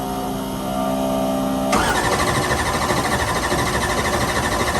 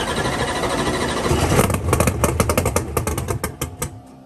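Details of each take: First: Drag race car (set up for Ultra Street, running X275 at Lights Out day two) after a broken cylinder-four intake rocker was replaced with steel rockers and a tune flashed to start without the broken coolant sensor plug: engine catches cleanly, runs loud and even, settles to steady idle; normal start. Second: Gasoline and nitrous race car, first fire-up after a broken intake rocker on cylinder four was replaced with steel rockers. The engine catches and sputters in uneven bursts, then dies from fuel starvation because the fuel cell was empty.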